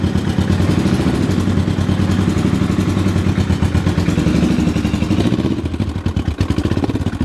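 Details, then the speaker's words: 1974 Honda CB500T cafe racer on electric start: uneven, lumpy putter with stumbling pulses that weaken, struggling to stay running; rough idle. Owner suspects the carbs need a rebuild kit and synchronising. "it's running but it's not running the best I need to get a carb rebuild kit for it and work on getting the carbs sing together just right it runs but it has a hard time staying running and it's a little bit rough"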